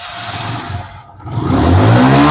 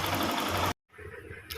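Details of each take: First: Hero Glamour FI 125 bike after timing chain work: clean rev climbing smoothly and falling back with no tapping or rattle over the exhaust note; engine sounds healthy. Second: Hero Glamour FI motorcycle: fast, busy metallic clatter over the running engine before it cuts out; timing chain rattle, timing chain replaced.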